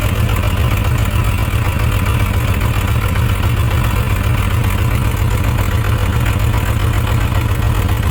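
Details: Suzuki RF900 after leaning the carburetor on the misfiring cylinder (suspected excess fuel): slightly better, but still a low, lumpy, stumbling idle. That cylinder is still not firing well.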